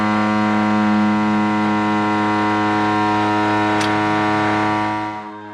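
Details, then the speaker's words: Silver Eagle diesel bus running after a power steering hose fix: loud, steady high whine over the engine, not the power steering pump but the starter still spinning because its new solenoid shorted out; starter stuck engaged. "That whining you hear in the background isn't the power steering pump making that noise."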